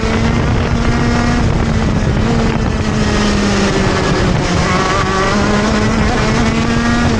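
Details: TM Racing KZ-R1 two-stroke go-kart engine on track; screaming note rises and falls through corners, dipping and hesitating on exit before picking up again: engine bogs when accelerating out of corners.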